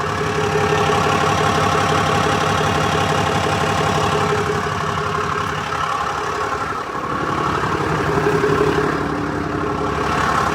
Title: 2018 Ram 5500 6.7l ticking / knocking sound, two weeks after I replaced the engine.